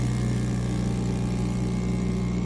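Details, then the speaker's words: ST 1520 3D mini vacuum sublimation heat press, vacuum pump starting after 20 seconds and reaching 0.06 PA: steady low motor hum, even drone, no knocks or rattles; running normally. "can see the power of the vacuum pump going to 0.06 PA."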